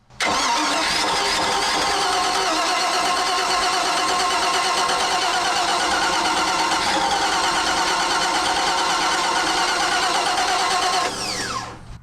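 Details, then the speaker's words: Mercruiser 5.7 V8 swapped into a roughly 20-year-old 21-foot Maxum sterndrive boat, long even crank after starter replacement and hot-wiring the coil for 12 volts; only a little puff, not catching yet, choke possibly not working. "now Andy and he's going to turn the key see if this will fire I think we got a little puff"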